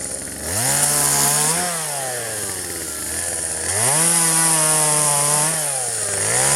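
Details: 1997 Poulan 2150 chainsaw, 23 years old, owner guesses 2.1 displacement; warm, just run; dull chain in box elder tops. High two-stroke scream dropping in pitch as chain bites, recovering cleanly each cut; normal chainsaw cutting.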